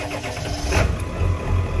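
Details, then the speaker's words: Ford F350 7.3 Powerstroke diesel, which has lately been cranking slowly and struggling to start (batteries tested OK): brief quick cranks, then it fires within a second and settles into a steady low idle. A clean, normal start this time. "of course, now it's going to start up absolutely, fine, no problems."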